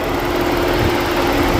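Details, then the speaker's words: 2013 Ford Edge, engine idling, after replacing both failed radiator fans (driver's side dead) behind an overheating fault: steady whooshing hum, moving far more air than before. "All right, we got them both running now. And we are by far moving way more air than we were before. I have to go back and listen to the first part, but man, you can hear those things humming."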